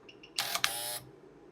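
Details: BMW exhaust flap actuator 18308686640 bench-driven by PWM with the duty cycle switched between 10 and 90%; short, bright half-second electric whir with a click at end of travel, driving smoothly and stopping cleanly, normal.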